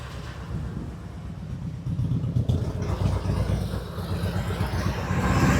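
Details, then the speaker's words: 1999 Harley-Davidson Road King, carbureted, warming idle after a new carburetor, with a fan on it: a low, loping potato beat of about four pulses a second, holding steady and sounding healthy; the startup smoke is clearing, possibly leftover fuel additive. "Sure. Sure sounds good, though. It kind of looks like it's clearing up a little bit."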